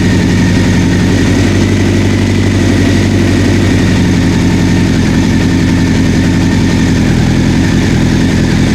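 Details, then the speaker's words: 1984 Honda CB700SC warming up after its first revival start, smoke clearing from the exhaust and no fuel leaking from the carbs: a smooth, loud, even idle with no misses or knocks; it sounds good enough that carb sync may not be needed. "heads are sounding good I don't see see any fuel leaking from the Cars I might not need a synchron ice though man it sounds good"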